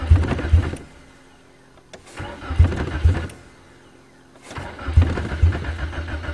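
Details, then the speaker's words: 1994 Nissan Sentra 1.6 cold start, no fuel pump heard: starter cranks in long bursts with short pauses and the engine never catches; long crank, no start, same every cold start. "come on starts like the talon definitely not a cold weather car same every time"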